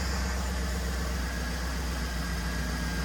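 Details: GM Escalade after fitting a new belt tensioner and Gates HD belt to cure a belt squeak: even, low idle with steady hum and no chirp or squeal; owner expects the squeak may return when driving.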